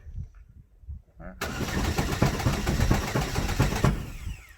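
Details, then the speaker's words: Chevy Sonic after a 10-foot drop, starter relay possibly stuck on: starter spins the engine quickly and unevenly for about two seconds with no compression rhythm and it never catches; broken timing belt found on inspection. "It sounds like internally there's something going on with that end. Yeah, it sounds like something's broken inside of it."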